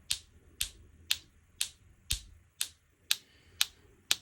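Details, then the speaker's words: Opel Astra H with misfire code P0302 (cylinder 2): new cylinder 2 ignition coil module activated via scan tool into spark gap tester gives crisp, even, strong snaps twice a second; normal healthy spark, coil replacement fixed the misfire. "і нажимаємо старт активації і вже чую що Іскра в нас є і доволі хороша"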